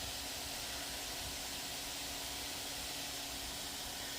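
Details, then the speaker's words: MSI Stealth 15M A11UEK-021US laptop whose fan was reported noisy, after stopping a GPU stress test as the fan slows: airy fan rush with a steady low hum and a rough, grumbling undertone from the cooling fan. "but this fan is very grumbly if I slow it down and stop it hear that now it's just fan noise"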